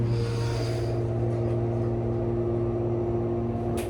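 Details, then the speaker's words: Repaired 1998 Schindler MT 300A hydraulic elevator, after months awaiting repair; even, steady low pump hum, no knocking or groaning, easing off at end of travel; normal run. "It's fixed. Wow, finally. That was long months. Finally, guys, this elevator has been taken care of."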